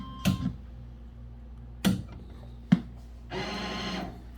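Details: Mini claw machine after adjusting the claw motor switch to contact its plate, clearing the error, and power cycling; three sharp clicks then a short even motor whir as the claw homes: normal claw homing.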